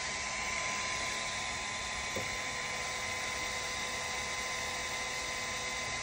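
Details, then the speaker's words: Toybox 3D printer extruder, warmed up, after a stuck-filament and loading problem: smooth, even whirr with a faint steady tone and no clicking or grinding. The earlier noise is gone and the filament feeds normally. "it does not make that sound so that's a very good [Music] sign"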